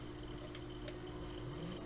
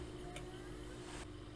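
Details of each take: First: HP TouchSmart all-in-one PC hard drive tested in USB docking station: quiet whir, low hum and sharp clicks, red light blinking, drive not detected. Crashed hard drive, replaced with 480GB solid-state drive. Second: Known-good 500 GB 3.5-inch hard drive powered up in a docking station for comparison with a crashed HP TouchSmart all-in-one PC drive: soft steady hum with faint whine, no clicking or scraping; drive spins up normally, unlike the crashed one.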